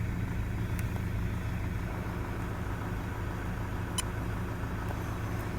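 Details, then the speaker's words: 2008 Toyota Land Cruiser Prado 120, 1KD-FTV diesel, 182,000 km, likely original injectors. Cold-start idle with load around 30%: a low, slightly uneven chug, a rough idle. Injectors possibly worn. "Cold start, that's it. Bit of a rough idle there I'm feeling. Load, up around 30% cold."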